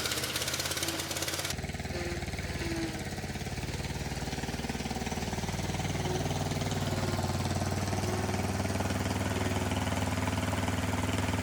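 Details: Kohler SV730S-0011 V-twin on a Bobcat zero-turn mower (Ransomes 942205) runs steady and even with the deck spinning via the electric PTO on a severely cracked belt; no knocks, slips or belt squeal, engine and PTO working normally.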